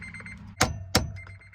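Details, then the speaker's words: 2003 Honda Element, steering column cover removed: a quick, high key-in-ignition reminder chime repeats endlessly between sharp hammer-and-chisel blows on the tamper-proof bolts, because jammed ignition tumblers/wafers won't release the key. "Take the cover off the steering column and listen to this beautiful, beautiful song play endlessly."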